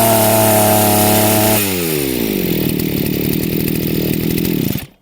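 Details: Chinese petrol brushcutter (strimmer), carburetor mixture screw turned too rich: high even scream drops to a lumpy, burbling lower speed that stumbles and dies; engine chokes with no power or traction.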